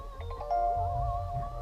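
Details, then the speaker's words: Kia, engine off on a 95–100°F day during AC/Freon check, push-start car: power switched on, seat and steering wheel move, then a short bright few-note bell chime over a low hum; normal power-on welcome chime. "Cool little whistle bell."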